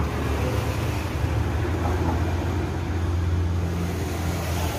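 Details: Large 11-inch Victor electric fan that would not spin due to a stiff shaft: steady low groaning hum from the running motor with a dry-sounding worn, loose shaft bushing; fixed by replacing the bushing with a ball bearing.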